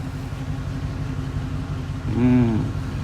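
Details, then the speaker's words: 1966 Oldsmobile Ninety-Eight V8 after idle speed and mixture screw adjustments on the carb: low, even rumble at a slow, steady idle with no hunting or misses, no longer racing high as before; normal idle. "Oldsmobile goodness all right did some Idol speed and mixture adjustments she seems way happier very docile on the RPM at idle not screaming like she was before"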